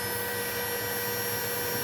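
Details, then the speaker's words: GPNI 2.2 kW 220 V three-phase ER20 800 Hz 24,000 rpm spindle on a Fuling DZB300 inverter, test run after parameter setup: smooth steady high-pitched whine, no wobble, rattle or rough patches; normal high-speed running. "Begitulah halusnya suara yang dihasilkan."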